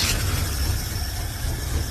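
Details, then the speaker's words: Engine with a newly fitted carburettor still idles rough: low lumpy idle with uneven thumps, as if one cylinder is dropping out. It is a misfire with cause not yet found; next step is pulling plug wires one by one to find the dead cylinder. "so I put the new carb and it's still running like shit, and it sounds like it's not firing on all cylinders."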